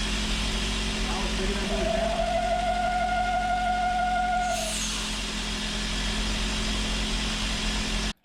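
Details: 2000 BMW E39 540i V8 at idle, CCV port plugged: thin steady whistle rises for a few seconds then fades; vacuum from a failed crankcase ventilation valve, which also caused a rough cold idle and suction at the oil cap.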